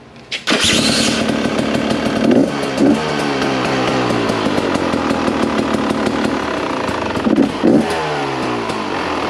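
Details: 2023 Rieju MR Ranger two-stroke dirt bike, cold start indoors on the electric starter. It catches right away, then settles into a crisp, ringing idle with a couple of light throttle blips; clean, even, normal.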